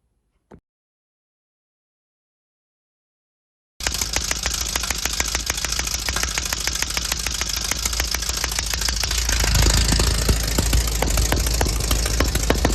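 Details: 1968 VW Baja Bug before timing adjustment: after silence the engine starts and runs with an uneven popping beat about 200 a minute; backfire from incorrect ignition timing.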